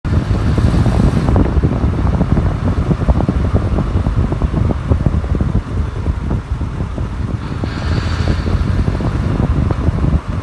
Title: Miata rattling noise